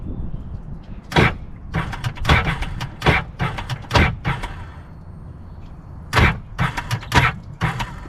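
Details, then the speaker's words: 2005 Sea-Doo GTX: starter hits and stalls repeatedly in short bursts of harsh clunks without spinning the engine; owner first suspects a cooked starter or a short, but the engine is hydrolocked with water in the cylinders. "does not sound good at all that's that's a terrifying sound so um is the engine locked up"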